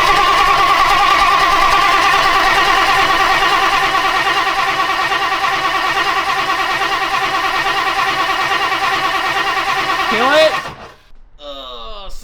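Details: Classic 1960s Ford Thunderbird that sat 16 years, fuel line routed into a bottle while cranking: steady, even cranking at about three turns a second for ten seconds with no catch; bottle stays empty, fuel pump suspected.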